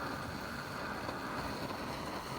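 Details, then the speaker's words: Roughly 60-year-old army mountain stove (owned since 1972), first run in about 15 years, heating a steaming cup of water: steady, even roar with no sputter or surging; normal clean burner roar. "stove I Haven run this stove for probably well probably 15 years I haven't started the stove and it flared right up right"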